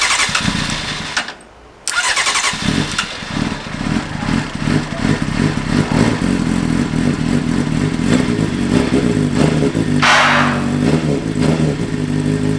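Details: Stolen and wrecked Honda CBR600RR being rebuilt, start after a leak was fixed: brief crank, then it catches and settles into a steady, even idle with crisp exhaust pulses; normal start and idle.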